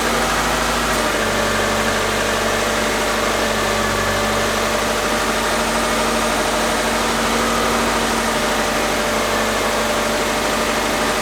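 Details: Subaru Forester EJ25 engine just reinstalled, fuel system primed, out of gear, first fire-up with OBD2 coolant monitoring: engine catches and holds a steady idle with constant drone, no obvious knocking or stumbling.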